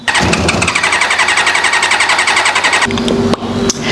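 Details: Carbureted track bike: steady starter churning about three beats a second for nearly three seconds, never fires; cranks but won't start, owner suspects unsealed carb seals causing an air leak.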